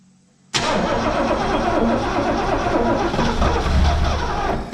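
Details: Barn-find 1971 Lincoln Mark III V8, first start after long storage, starter hot-wired and gas poured down the carb: sudden catch into ragged, uneven idle with loose clatter, barely firing.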